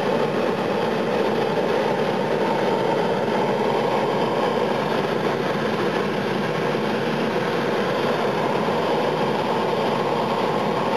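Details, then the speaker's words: Fryer gas burner firing up with thermostat set to 170: a steady, even roar with no popping, sputtering or surging, lit and firing cleanly. "i'll do a quick video of the burner in this because it's quite amazing when you hear it fire up it's incredible"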